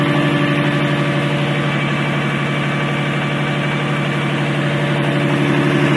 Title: rb26dett strange noise